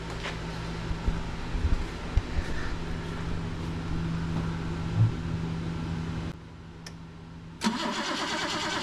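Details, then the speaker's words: 1977 BMW 530i parked since 2017, spark now confirmed: long steady starter drone with no catch, a pause, more cranking; engine spins but never fires, fuel pump suspected not kicking on. "what do you think no fuel feel like the fuel pump's not kicking on"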